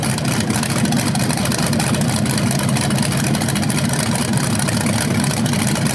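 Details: BluePrint 396 big-block crate engine for a 1970 Camaro SS, first outdoor run after oil priming and a timing check: deep, even burble, steady firing rhythm, no misses, ticks or knocks; running healthy, no leaks seen.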